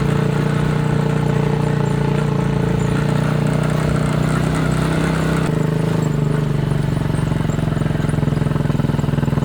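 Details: Chinese 200cc Honda-clone quad after spark plug replacement, on 10-minute test ride: steady even single-cylinder thump under load, no misses or stumbles, pulls cleanly; warm-up missing fixed.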